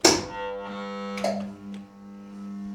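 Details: CNC mill throwing following errors, at power-up between the first button push and latching while the power relays (Z axis fed 140 V) pull in: a clunk, then a strong, steady low buzz as the Z motor strains against its still-engaged brake.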